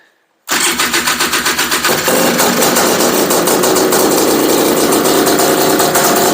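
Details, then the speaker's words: Honda Odyssey FL350 two-stroke buggy, first start after DG Extreme exhaust and Keihin carburetor install, on VP racing fuel, choke off: rapid cranking, fires at about two seconds and holds a steady, crisp, even run; healthy. "all right yes oh my goodness guys did you hear that it was amazing oh my goodness oh my heart's beating a million miles an hour [Laughter] yes yes oh man you guys it sounded so good"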